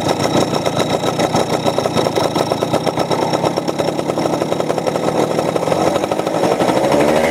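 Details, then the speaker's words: Two-stroke Fiz R, air filter removed to add air with the carburettor adjustment already at maximum: runs more evenly, earlier stutter eased, showing a rich mixture from too much fuel; carburettor to be rechecked and jet replaced. "Tadi masih ada kayak dededak gitu. Kalau ini lebih los, jadi kebanyakan bensin."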